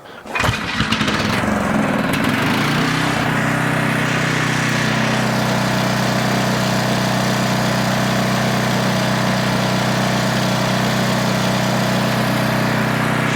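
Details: Older Tecumseh generator with a small single-cylinder engine and the carburetor mixture richened: it runs smoothly at 62 Hz, then starves and stalls from fuel starvation caused by a restrictive paper fuel filter.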